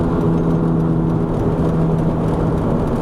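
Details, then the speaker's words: 2001 Chevy Venture on a road test, turning right: steady low droning roar with a hum under road noise, holding with speed; bad front passenger wheel bearing, not the CV joint, since there is no popping. "See, okay, we're gonna turn to the right, you can hear it roar."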